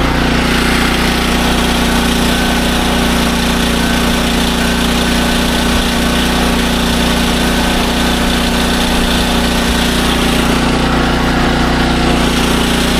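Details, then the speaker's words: SDMO 5000W generator with a Briggs & Stratton engine (about 18 hp), after restoration, load test with about a 1500 W heater and a light: steady, even drone with a firm, constant hum, no surging; normal under load. "All right. Now that that's all finished up, it is time for a load test. We have a I think it's a 1500 watt heater and a little light. So, we're going to start it up. We're going to see how it runs on load."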